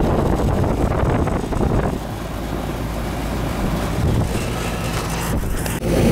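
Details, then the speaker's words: Older Carrier central AC condenser, one of two not cooling a house, after rewiring herm, fan and common leads; steady low hum of compressor and fan under wind noise, no buzzing or stalling, running normally with superheat on target. "Yeah, this one's working good. We're right where we need it on a superheat, so we'll check the other one."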